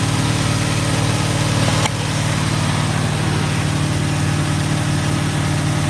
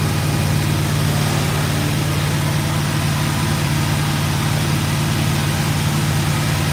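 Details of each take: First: GMC truck, freshly built small-block V8 on first start with headers: low, steady, even burble at idle with no knocks; healthy, apart from an exhaust leak and an occasional backfire. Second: GMC truck with headers, first start after build: deep steady idle with a loose puffing chuff under the rumble; exhaust leak to fix, oil pressure good.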